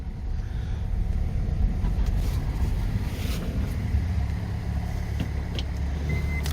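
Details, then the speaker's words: Kia Sorento after a kangaroo strike, first start with no power steering: even, low rumbling idle with no knocks or misses; motor sounds good, though it later stalled from a cracked transmission hose. "motor sounds good though"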